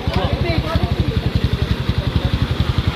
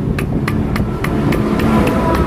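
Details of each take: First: Kawasaki Barako 175 with sand in the engine, after repair of a badly scored connecting rod bearing found within 6 months of an overhaul. It now idles with an even single-cylinder thump, no rattle or knock, and the noise is gone. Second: Kawasaki Barako 175 with sand in the engine, less than 6 months after an overhaul. With the crankshaft removed, the connecting rod is rocked by hand and gives sharp metallic clacks from excessive side clearance. It feels slightly rough, and the big-end bearing is possibly failing.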